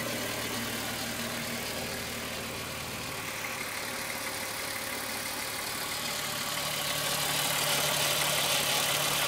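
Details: Rattle at idle on a Golf VR6 2.9 with only 103,000 km: a bright, fast rub-and-rattle, like a rubbing chain, about three beats per second and growing slightly louder. Owner replaced the upper hydraulic tensioner screw, and the noise got louder afterwards. Cause unknown.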